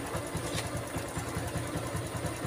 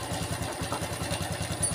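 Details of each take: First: Honda Revo FI (fuel-injected) that came in with a rough clattering engine noise, traced to the cam, after top-end repair with the cam sprocket timing marks realigned: a steady, soft single-cylinder putter of about eight beats a second with no ticking; normal quiet idle. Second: Honda Revo FI (fuel-injected) motorcycle brought in for a rough, harsh noise; idle has a fast, even clatter, about ten beats a second, with a dry crackle on top: worn, slack cam chain rattle.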